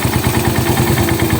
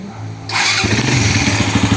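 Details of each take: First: Raider 150 motorcycle, warmed up, after the cam holder was resurfaced and a shim was replaced for a noisy head: a quick, even single-cylinder idle with no top-end ticking, whereas before it clattered like a typewriter. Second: Raider 150 carb motorcycle engine idles with busy metallic top-end clatter before repair; noisy head from excessive cam holder clearance, fixed by grinding the cam holder, with valve clearance checked.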